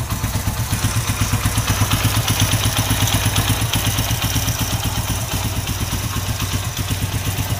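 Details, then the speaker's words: Honda Win Detech 110 single-cylinder four-stroke after one year of hard use, idling: light busy metallic clatter over low thump from cam chain, louder after long running; cam chain replacement planned. "Máy đang nổ galanti nè nhưng mà bạn nghe là nó có cái tiếng là nó kêu sên cam đó thì chạy lâu là là nó kêu thôi"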